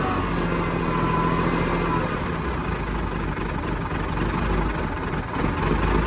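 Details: 1987 Ford LN9000 house-moving truck diesel, running again after about 20 years sitting: a steady, even, smooth low rumble with no knocks or misses. Normal idle; it later ran great all the way home.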